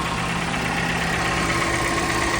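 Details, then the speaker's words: 2023 Lexus RX500h petrol engine idling with an uneven, stumbling low pulse from a cylinder 3 misfire; head found with a blown head gasket leaking into cylinder 3, fixed with a new cylinder head. "The car's 508. With a cylinder three misfire."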